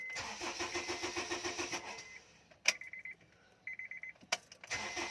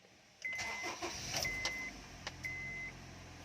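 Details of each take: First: HONDA CRV 2010 MODEL: ENGINE CRANKING BUT WON'T START ( MADALI LANG PO ITONG GAWIN ) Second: 2010 Honda CR-V after fixing a crank-but-no-start fault: engine catches promptly and settles into an even idle while the dash chime keeps beeping; a clean, healthy start.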